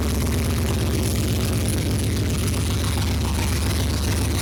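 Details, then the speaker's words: First start of a 5.3 V8 from an SSR swapped into a 1972 Chevy C10, mass airflow sensor not yet connected: deep idle with an uneven, lumpy, stumbling beat; running rough, possible misfire, cause not confirmed. "It's running rough though."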